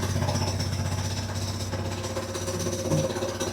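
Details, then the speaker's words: Redfox 200 two-seater off-road go-kart, single-cylinder, first run in a long time after new battery, choke on, warming up: steady even idle thump, no misses or knocks; sounds much better than the day before; normal idle. "Let it warm up for a bit. It hasn't ran in a long time. >> The engine sounds way better than yesterday."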